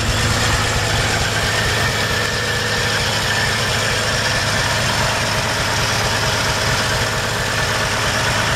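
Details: 1955 Chevrolet 3100 short-bed pickup at idle, no exhaust smoke: an even, steady idle with a smooth low rumble and no knocks or misses; runs good.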